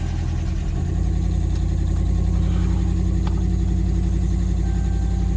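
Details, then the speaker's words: Older Ford Expedition King Ranch, long-sitting, after PCM work, key-on 10-second wait then crank: engine catches quickly and settles into a steady, even low idle with no knocks, misses or squeals; normal start and idle. "It's awesome. All right, well, truck is running, and that's a plus. Rev it up here."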